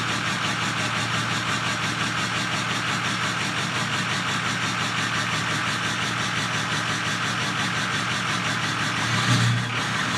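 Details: 2005 Ford F250 6.0 Powerstroke diesel, 150k miles, rough idle and starting: idle turns lumpy and uneven with irregular thumps; monitor showed FICM voltage at 20 V or lower instead of the normal 48 V, bad FICM.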